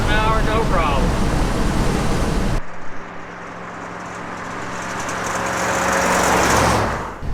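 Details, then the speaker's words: 1974 Ford F100 4WD, long parked, road test: it had been driven in 4-low, screaming at about 40–45 mph. Once shifted to 4-high it cruises with a steady, even engine drone under road and wind noise, no strain. Much better, normal. "It was in 4 low the whole time. So I just put it in 4 high and we'll see how it does. Much better."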